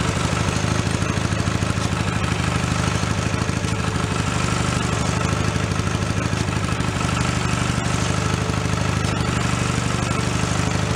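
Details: Mid-1980s Snapper riding mower salvaged from a dump, started on choke in neutral after transmission repair work; steady even single-cylinder idle without misses or rattles, healthy.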